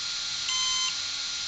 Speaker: ça c'était un bip long, 1, voilà, je valide là, et là il va y avoir un bip long, 5e menu, voilà, je relâche.